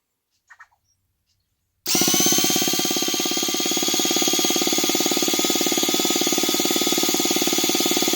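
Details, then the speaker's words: Project 2.5 T-Maxx RC nitro engine, starter driven by 2S LiPo pack; sudden steady high motor whine with fast even pulsing at constant speed, starter spinning engine properly, normal starter operation. "That sounds pretty good to me."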